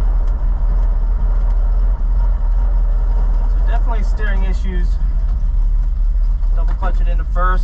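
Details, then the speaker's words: 1947 Ford coupe while driving, warmed up but acting cold: deep drone with irregular dips and stumbles every second or two under load; misfire, no ignition advance, points, carburettor or choke suspected, unconfirmed. "i'm not getting any advance out of the motor it's stumbling pretty bad so we'll start messing with the points the carburetor get it running right"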